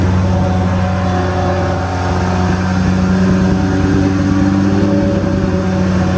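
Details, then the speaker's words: BMW M3 V10 swap with new 10-into-1 headers and 5-exit exhaust: loud fast steady idle at 2,200 rpm with a faint tinny rattle, owner suspects crossmember; high idle, likely because idle isn't set up yet; coolant temperature climbing, no fans. "it was idling at 2,200 RPM for some reason which might just be because we haven't got the idle setup and we actually didn't notice that before because it was making so much noise"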